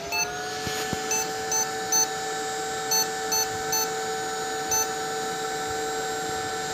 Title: Fujitsu Siemens Beeps